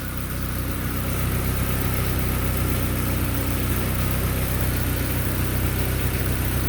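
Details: 1997 Mazda Miata, first startup right after an MK turbo kit install, running a few minutes: steady low idle with an even exhaust note, no knocking or misses, holding constant speed. Some smoke is seen, which the owner hopes is new parts burning off. Normal idle.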